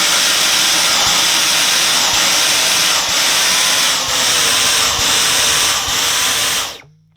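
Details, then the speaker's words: Dyson V10 Animal Extra cordless vacuum with a blockage at the main floor head: high airy roar dips and surges about once a second, then cuts out as power is limited and the indicator flashes. Airflow blockage. "And what that does is, first of all, it limits the power, so you could hear it pulsing."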